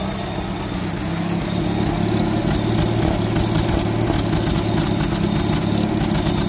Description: Having misfire. Already done top overhaul.